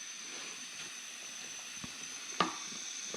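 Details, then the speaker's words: Husky 17-gallon air compressor: continuous thin high hiss of compressed air leaking at the pressure regulator; O-ring repair failed and another internal part broke, new regulator needed. "my regulator messed up and started leaking and I tried to fix it with o rings then another part broke inside the regulator"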